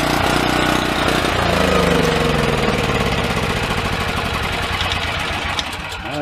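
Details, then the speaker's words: Yamaha EF4600A generator sitting unused for years: starts, runs unevenly with a wavering lumpy beat, then sags and dies; suspected fuel issue, runs about a carburetor bowl of fuel then quits, loose fuel line clamp found. "definitely sounds like a fuel issue got gas in there see if I can work that out"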